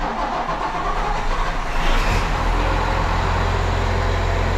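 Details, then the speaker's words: Case 305 diesel started after a filter change, pump cycled six times: brief cranking, then it catches and settles into a steady, even idle with no misfire or stumble. Running healthy. "Well, not too bad. So far, sounds good."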